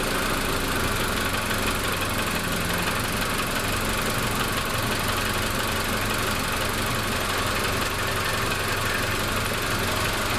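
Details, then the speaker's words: Mazda with P1345 code restarted after cooling about 15 minutes: engine runs steady and even with no stumbling or misfire; owner suspects a weak cam position sensor that fails when hot, not confirmed. "cooling that thing off made it run again so I'm pretty well convinced that's what our problem is just has a weak cam position sensor"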